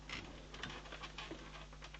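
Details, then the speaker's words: PC that previously would only start when laid on the table: pressing the power button gives a faint hum and a few dry static-like ticks, then nothing starts; owner suspects something shorting out, possibly the power supply has failed or a safeguard is cutting power. "so there's definitely something shorting out somewhere don't know what that could be so I think we got to start with the power in that case right so possibly this power supply is gone"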